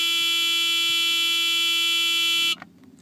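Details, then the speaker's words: Mercedes-Benz 300D with a used seat belt warning relay fitted from a 1985 300SD, replacing one that no longer buzzed: a harsh, high-pitched buzz for about 2.5 seconds, then a clean cutoff; the headlights-on/key-in warning now works normally. "now that's the new relay it came out of an 85 300 sd and made it up perfectly so now if headlights are on or if your keys are in the ignition makes that noise"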